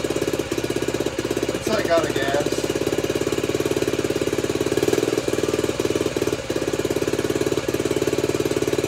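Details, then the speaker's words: Honda CT90 (Trail 90) restored with new wiring harness, stock engine: small single thumps at a steady, even idle with no misses or knocks; healthy. "Idle's nice. Oh yeah. She's ready. Ready for the open road, kind of."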